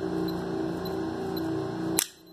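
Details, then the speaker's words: Electric lock with its cover opened, triggered by a Connect Senha keypad in pulse mode powered from two supplies: steady buzzing hum about two seconds ending in one sharp clunk as the bolt releases; normal actuation. "A gente abriu a tampa aqui da nossa fechadura elétrica. Vamos estar acionando ela para vocês verem como que funciona isso daí."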